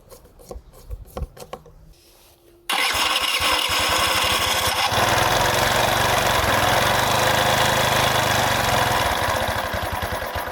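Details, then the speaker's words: Carbureted engine after replacing missing cover rubber seal from donor carb: a few kicks and pops, then starts with uneven, lumpy wandering idle, first hint of idle; rough idle. "двигатель и начал запускаться появился намек на холостой ход"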